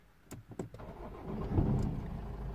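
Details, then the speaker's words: Lexus IS220d diesel, badly neglected, after alternator replacement and electrical fault repair with a 50 amp fuse fitted, restarted after half an hour off: short crank, catches at once and idles steadily, airbag light now off; normal start. "started straight away. Look at that, even the airbag light has gone off."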